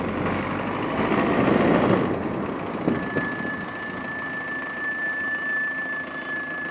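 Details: VW Passat B6 1.9 TDI: engine idling, then steady high-pitched whistle held several seconds while braking; suspected pads on disc or wear warning tab touching the disc.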